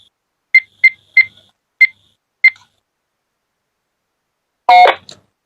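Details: Icom IC-86FX radio after front cover replacement, powered on and tested: five short crisp high beeps in an uneven run, then a clean transmit tone; sounds normal.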